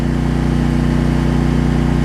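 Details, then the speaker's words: Troy-Bilt 550-watt generator, after a no-spark fault was traced to the low-oil sensor module; a load is plugged in and the tune changes, holding a steady even drone with a firm low beat and no misses or knocks. "next step let's plug in something you'll hear it change tune hopefully you hear that"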